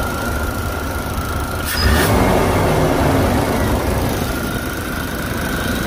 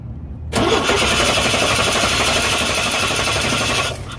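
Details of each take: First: Chevy throttle body injection engine with oil pressure switch unplugged or faulty: cranks without starting, and on sprayed brake cleaner runs roughly for about ten seconds then dies, since the injector gets no signal. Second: 1989 Chevy Astro with TBI, cranks but won't start when heat-soaked; wiggling a wire to make the right connection while cranking lets it fire at once and settle into a steady even idle; clean start.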